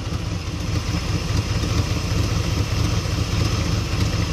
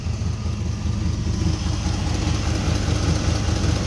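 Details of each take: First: Holley 750 carburetor V8 at idle: with the idle mixture screw turned back in to half a turn out from an over-rich setting, the idle clears right up into a deep, lumpy but steady rumble. Mixture sounds about right, normal idle. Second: Holley 750 carburetor on a V8, idle mixture screws at one and three-quarter turns out: deep idle with a slightly uneven, loping pulse; running rich, with exhaust smoking.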